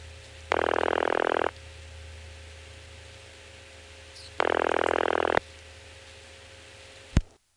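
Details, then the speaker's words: Analog phone call through senderized step-by-step exchange in Prince William County, Virginia (1970s), extra register-sender ticks after last digits, then two buzzy ringback bursts about four seconds apart over faint line hum, a click and silence; normal ringback. "perhaps you did notice those extra ticks now the last two digits it'll make some extra ticks and start ringing"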